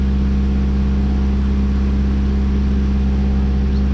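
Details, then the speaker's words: 2000 Subaru Impreza RS mid JDM 6-speed swap, just started in neutral with check engine light on, transmission missing: steady fast even drone, no dips or hunting; expected raised idle after startup. "Oh, because it thinks it's a neutral, but I still can't take out the key until I get this off, and then it'll probably idle high for a little while."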